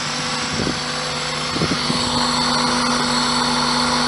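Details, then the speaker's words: 1999 Toyota Celica ZZT231 idling after installing a new pod air filter: steady, even idle with light, slightly raspy intake hiss through the filter, no knocks or misses; engine healthy. "sounds good here but I do remember the last time I recorded engine running it sounded awful through the microphone on the actual video but back the engine actually sounds healthy as in real life"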